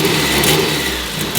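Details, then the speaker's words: Warm Mazda Miata after 30K-mile service with new spark plugs, ignition wires and fuel filter, checking earlier low-end stumbles: engine blips up cleanly and drops back smoothly, no obvious stumble or misfire; seems a little better. "seems a little bit better but regardless I have satisfaction of knowing I have new plugs and wires in the car"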